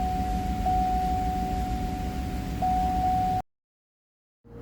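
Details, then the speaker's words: 2009 GMC V8 with reduced power, white smoke and no pickup, idling uneven and lumpy after adding 4 litres of oil; still misfiring, revs won't reach half, plugs to be checked for oil. "तो मतलब समझ सकते हैं की इसका problem जो है अभी भी है और मिसिंग बेबी गाड़ी कर रहा है"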